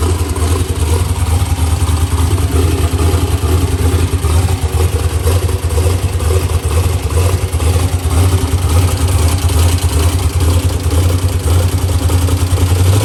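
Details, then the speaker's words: Ford Mustang with LS swap and new TKM engine, Holley intake, forced induction, first fire-up after build, tune still in progress: loud, deep, lumpy V8 idle at a steady pace, no knock or misfire; normal healthy idle. "New TKM power plant is fired up and ready to go. Sounds awesome."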